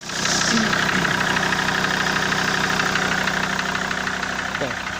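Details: Ssangyong Rexton 2.7 diesel idling with a steady, fairly even knock about three times a second over the engine clatter; a shop blamed the injectors because the knock disappeared when injector connectors were unplugged, but the owner doubts the injectors are the cause.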